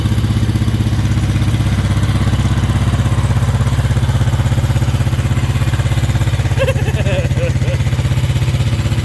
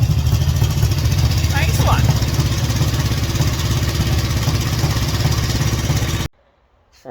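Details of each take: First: 1963 Honda CB77 305 Super Hawk twin, cold, one spark plug cap left off: heavy, lumpy low thump of about four beats a second at idle, running on one cylinder; dead cylinder misfire. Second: 1963 Honda CB77 305 Super Hawk, warm from running, kickstarted with no throttle: catches at once, settling into a quick even twin-cylinder idle with no misses, then cuts off cleanly; runs normally.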